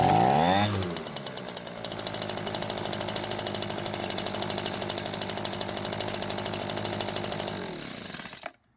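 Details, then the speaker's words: Echo leaf blower that won't start after storage, broken filter base leaving choke flap stuck; fuel poured in carb throat: small two-stroke catches and buzzes evenly about seven seconds then dies; carb may still need attention. "the engine ran for a lot longer than usual so I wonder what would happen if we put fuel back into the tank and tried starting it again"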